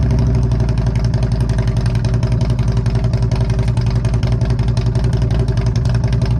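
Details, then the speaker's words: 2011 Harley CVO Road Glide after gutting the catalytic converter, no baffles in exhaust: loud, lumpy V-twin idle with regular deep pulse about 220 beats a minute, runs evenly; owner plans to add baffles. "well it's certainly loud we're going to have to find some baffles I think or make some"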